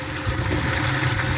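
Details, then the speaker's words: Gravity-fed water pipe pouring into a collection bucket/forebay: steady gurgle and bubbling with a low rumble. The owner suspects the intake is sucking air, possibly with cavitation bubbles. "we're maybe sucking air from this okay yeah you hear the noise it's sucking air"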